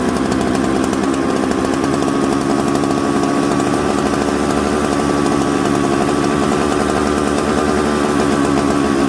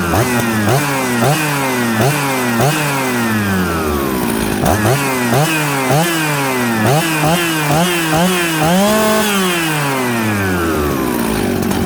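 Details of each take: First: Mixmaster chainsaw built from Jonsered 630 Super and Husqvarna 266 parts: a smoky, burbly, uneven four-stroking note with a bumble off idle, because the low-speed jet is too rich. The low jet was then turned in. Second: Warm Husqvarna 266/Jonsered 630 Super mixmaster chainsaw after opening high jet slightly: clean rev-ups and drops, steady even idle, no stumble; good running saw.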